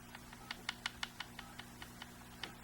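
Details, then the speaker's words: Crosman 2240 air pistol with the barrel band set screws loosened: the barrel rattles with light, irregular clicks; tightening until snug stops the rattle. "how it rattles around now you're going to want to tighten it just so that it becomes snug that rattling goes away"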